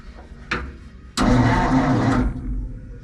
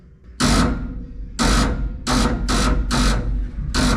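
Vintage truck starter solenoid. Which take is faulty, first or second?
second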